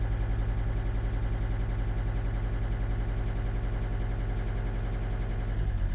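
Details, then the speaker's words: T1N Mercedes Sprinter diesel van that sat over a year and was hard to rotate, now started: even, steady diesel clatter at idle with smooth low rumble, no knocks or misses; normal healthy idle, purring like a diesel should. "Isn't it just working beautifully? That's the way a diesel should sound like. Oh, it's just purring."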